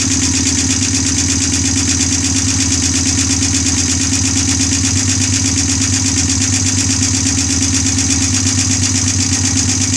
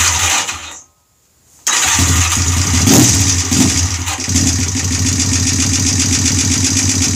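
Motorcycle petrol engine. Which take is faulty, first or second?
first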